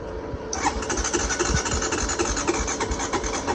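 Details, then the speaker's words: Honda Recon 250 ATV with an earlier no-spark fault fixed by swapping the ignition box, gas poured down the pipe: the starter turns the engine over sluggishly, about three beats a second with no firing; slow cranking from a weak battery. "Oh, battery weak. Let's see. Let's wait and let it charge a little bit."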